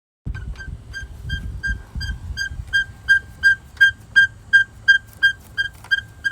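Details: 2017 Nissan Maxima SR: sharp, high-pitched chirping squeak repeating steadily, nearly three times a second, over low cabin rumble, heard inside the car; owner can't identify the source.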